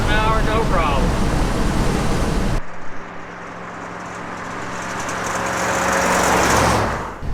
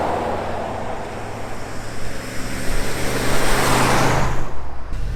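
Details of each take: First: 1974 Ford F100 4WD, long parked, road test: it had been driven in 4-low, screaming at about 40–45 mph. Once shifted to 4-high it cruises with a steady, even engine drone under road and wind noise, no strain. Much better, normal. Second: 1974 Ford F100 4x4 driving at about 40–45 mph: high, strained drone, engine screaming far too busy for road speed; cause found to be transfer case left in 4-low.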